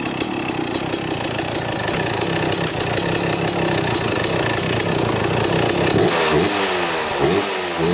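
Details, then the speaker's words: 1995 Kawasaki KX250 two-stroke dirt bike, first start after sitting, carburetor cleaned and idle adjuster heavily adjusted: steady, crisp idle with a clean even beat, then quick throttle blips that pick up cleanly; normal idle, smokes a little. "okay all right got your idling we had to make a huge adjustment up here"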